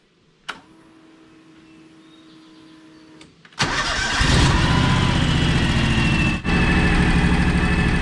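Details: John Deere X729 mower/tractor after complete service, earlier missing at idle from a suspected clogged carburetor: engine cranks, catches and settles into a steady, even idle with no knocks or misses; runs great.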